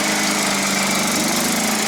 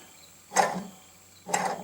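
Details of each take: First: John Deere STX38 riding mower after replacing broken drive belt and tensioning spring in notch: steady, even engine drone, constant pitch, no belt slapping or squeal. Normal running after repair. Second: John Deere STX38 riding mower drive belt idler pulley spun by hand during belt replacement. Two short gritty rasps with no smooth coast show a rough idler bearing that is due for replacement.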